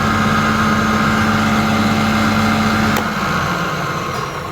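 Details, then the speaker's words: Wood thicknesser running boards, rattle never there before, owner worries belts were set too tight and loosened them: loud steady fixed-pitch buzz over the machine's roar returns after more use, then cuts out and winds down; cause unknown, needs checking. "All right, I've been using for a bit more now and the buzz has come back. This does need to be looked at."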